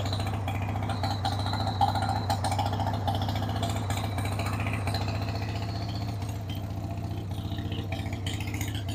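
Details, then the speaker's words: 1993 Harley-Davidson Sportster 883 Evo V-twin, sat about 15 years, started with starting spray on a dead battery: fires and settles into a steady, loping thump that holds without stalling; runs on its own, not dumping oil. "So, would you look at that? It's running on its own, dead battery and all. It's not dumping oil all over the place."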